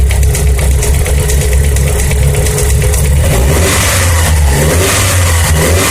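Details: Mitsubishi Lancer Evolution 4G63 engine: light rapid ticking rides over the engine as it revs and settles back, following engine speed; tapping from cylinder 1 intake side, cause unknown.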